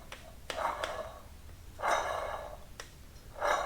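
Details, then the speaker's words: 2009 Polaris Ranger Crew 4WD wheel bearing turned by hand: rough, gritty whirring spins with a few sharp clicks instead of smooth silence; bearing judged worn and due for replacement. "and I should not hear the bearing make that sound should be smooth with no sound so I'll have to replace these bearings"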